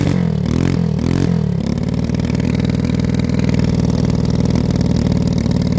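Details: Stock Predator 212cc single-cylinder engine for dirt track racing, being tuned: three throttle blips then slightly uneven burbling run; suspected running rich, fix pending.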